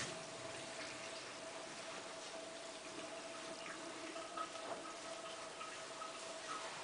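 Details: Hotpoint Ultima WT960 washing machine on a 60°C cottons test wash: steady hiss of water filling the drum with a faint valve tone, no knocks or grinding; normal fill stage.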